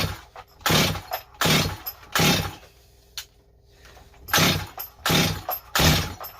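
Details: Rebuilt Stihl 025 chainsaw with new Meteor top end won't start: repeated rip-cord pulls about one a second with no firing or catching; air leak and carburetor suspected; no-start from fuel starvation caused by leaking fuel tank cap seal.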